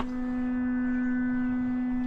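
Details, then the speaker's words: Big Tex trailer with newly replaced electric brakes: steady buzzy hum of energized brake magnets, brakes working. "hear that humming that means the brakes are working not well apparently I might have to turn the gain up"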